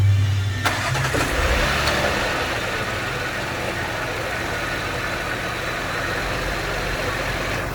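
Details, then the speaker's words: Audi Q7 cold start recorded with phone under the hood to check for rattles; brief crank and catch, then steady even idle, no knocks, ticks or rattles, starts nice and quiet: normal cold start and idle. "Starts up nice and quiet."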